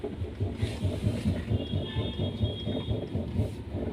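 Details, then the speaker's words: Tata Zest, steering wheel swung left and right: dull "duck duck" knocks about twice a second, louder when driving. The tie rod end boot is torn and the ball joint is quite loose, pointing to a worn steering end and ball joint. "तो आप देख सकते हैं, सुन सकते हैं, एक duck duck duck duck की आवाज़ आ रही है। इस तरीके से मूव करने पे तो ये आवाज़ जब गाड़ी चलती है तो वो और ज़्यादा आती है।"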